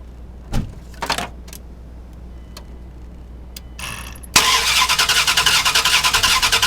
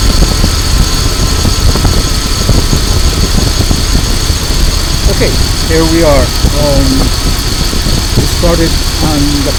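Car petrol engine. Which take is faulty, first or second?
first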